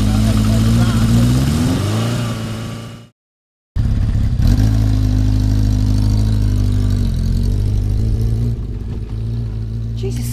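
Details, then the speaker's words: Yamaha XS1100 four-cylinder with ignition timing checked at about 5° after TDC, on the F mark, following intermittent firing: revs cleanly up and back down without stumbles or misses; problem appears cured. "sounds good, doesn't it?"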